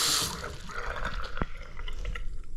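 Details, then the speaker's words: Bathroom basin after fitting a new McAlpine anti-syphon bottle trap: tap water drains with soft splashing and drips, the earlier gurgling gone; drain flowing cleanly and quietly. "Okay, so let's see. There's no noise now. Did you hear that? So there's no gurgling noise. So that's solved the problem now."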